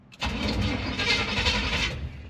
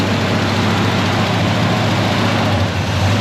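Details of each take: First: 1974 Chevy C20 small-block V8 after sitting about 3 years, first key start attempt; starter churns steadily about two seconds but never fires; fuel filter nearly empty, not pulling fuel despite being shot in twice; crank no start, no fuel delivery. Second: 1974 Chevrolet C20 small-block V8 after sitting about 3 years, second start attempt: catches into a deep, regular idle with a brief sag near the end, but keeps running. Surging suspected from bad gas and junk in the carburetor.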